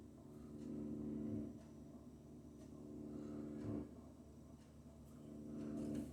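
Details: Logic combi boiler with a low hum that swells and fades on its own; gently placing a hand on the casing stops it; owner suspects something not tight enough.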